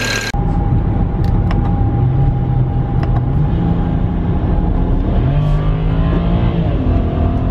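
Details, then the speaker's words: BMW 335i with the tuned N54 engine, after fitting NGK plugs one heat range colder (95770): smooth drive with a deep drone climbing evenly through the gears under load, no stumbling. The earlier misfire is cured; normal acceleration. "it's running good now"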